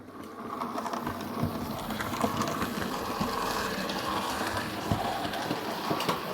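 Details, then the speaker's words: Hornby A2/3 model locomotive running in on the layout: fast light ticking over the motor whir and track rumble, in time with the wheels; a loose crank pin on the middle driving wheel. "I stopped her running because I heard a very peculiar ticking noise um and when I turn on some better lighting I think it becomes quite obvious what that sound was oh dear looks like something's come loose"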